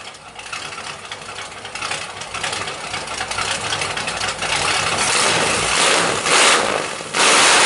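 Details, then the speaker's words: 1977 Pontiac Firebird Formula V8, first run after engine and transmission install, no antifreeze in it: loud, raspy, uneven idle rising in volume with open unmuffled exhaust bark. Engine runs with oil pressure and is charging; loud unmuffled idle. "There is no antifreeze in it. And it still sounds like a pulp wood truck, believe it or not."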